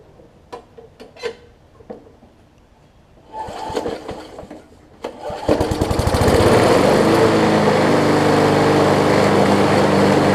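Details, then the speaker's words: Older MTD 21-inch push mower, 3.5 hp Briggs & Stratton, on replacement carburetor (double-gasketed, now priming): fires after priming pulls and runs steady and even, but vibrates heavily from a slightly bent crankshaft. "In terms of running, it seems like it's running well. It's just vibrating my hands off."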